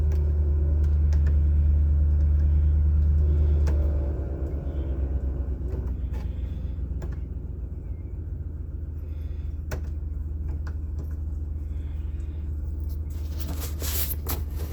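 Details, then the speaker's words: 2007 Ford Expedition 5.4 V8 after an alternator replacement; deep steady idle that settles smoothly with no battery light, and the earlier grinding from the front is gone, though a little ticking remains. "And we have no battery light. And the grinding gear sound is now gone."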